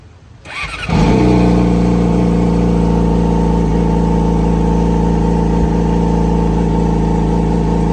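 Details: Yamaha YZF-R6 after engine repair and timing (cam chain) setup: engine catches at once and settles into a steady, even idle with no rattle or ticking from the timing side; normal, healthy idle.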